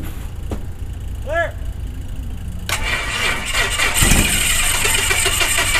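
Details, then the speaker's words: Beechcraft Musketeer aircraft engine, dormant six months, shower-of-spark ignition, started on starting fluid after priming the fuel pump: starter cranks, engine catches in a brief ragged burst then dies; fuel starvation. "it fires if I can get fuel to it maybe it'll run let's try that again"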